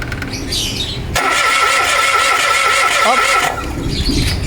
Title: Cranking no start basic diagnosis |Mirage G4 #automobile #nostart #car #engineproblem